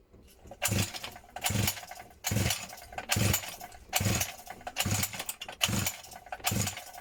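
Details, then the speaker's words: 50cc mini moto off-roader with refitted fuel lines and rewired electronics: about eight pull-start attempts, roughly one a second, each a brief sputtering pop that dies straight away; engine sputtering, failing to start. "I have had this thing sort of sputter to life, this engine earlier."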